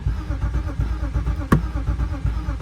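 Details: 1998 BMW E36 two-door inline-six automatic after fuse swap and coil check: starter cranks steadily about four to five turns per second but never catches; crank no start, owner suspects the crankshaft position sensor.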